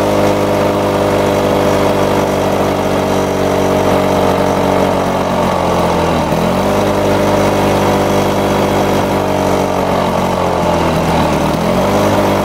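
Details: Lawn-Boy two-stroke mower after air vane governor install and spring tension increase: steady buzz dipping twice and recovering, roughly 75-100 rpm fast; governor holding normally.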